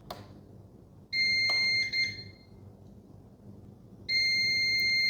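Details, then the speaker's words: CyberPower CP1000PFCLCD UPS, in use over 2 years: loud high beeps about a second long repeat every few seconds in a quiet room, E21 output-short error; breaker not tripped, owner suspects the battery, not confirmed. "So the error message is the E21. According to the instruction, it says output short."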